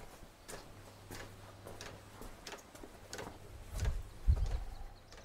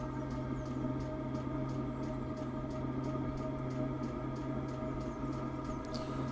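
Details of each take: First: A Chinese diesel heater with a 6-metre extended exhaust into a DIY oil-drum sand battery gives irregular fuel pump ticks with no burner roar and smoke. It pumps fuel but won't ignite; the owner suspects the sooted-up exhaust and a blockage. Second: Chinese diesel heater with a 6-metre extended exhaust feeding a DIY sand battery, firing again after a suspected soot blockage. Steady low hum with a light fuel-pump tick about three per second, burning evenly; normal running.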